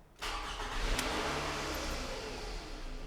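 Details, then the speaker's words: 2007 Scion tC, towed in with no-crank complaint and dead battery, first start after ignition switch testing and steering column work: brief crank catches at once, revs up and settles to a steady idle without stumbling; starts and runs cleanly. "hey it's like magic it's like magic she starts and runs a't that awesome"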